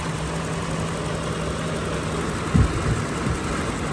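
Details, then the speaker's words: 1985 BMW 325e E30, parked four years, after new fuel pumps, crank sensors, filter, plugs, distributor and rotor: starts easily, steady low idle with only faint bumps, normal idle. "but I would as soon as I switch I have a spark on a coil and a car started really easy as you can see"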